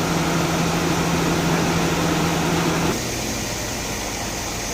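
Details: Mercedes-Benz S280 A/C after repair (leaking refrigerant hose replaced, compressor oil added, new drier and O-rings), compressor previously noisy: steady even compressor and front electric fan hum with no rattle or grinding, slight dip midway, pressures 225–250; normal operation.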